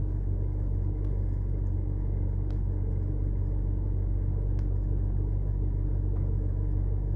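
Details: BMW 325i N52 after new plugs, coils, VANOS solenoids, DISA valves, oil separator and gaskets, with injectors, throttle and intake cleaned: steady low hum with an even pulse and no stumble or miss; the six now idles smoothly.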